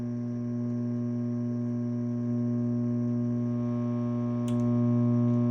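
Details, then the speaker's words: 1970 Ampeg B15N bass amp: a steady low hum with a buzzy edge from about 6 V of ripple measured at the plate supply, power amp dead quiet; the last decoupling/filtering stage is suspected. "I did measure about 6 volts of ripple at the plate supply, which to my mind is excessive, but the power amp is dead quiet. All right, and here's the ripple I'm getting, if you want to hear it."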